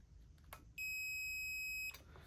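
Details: Numatic Henry HVR200 vacuum cleaner motor, previously showing no continuity (suspected broken armature winding), after reassembly: a single steady high meter beep of about one second showing continuity across the motor.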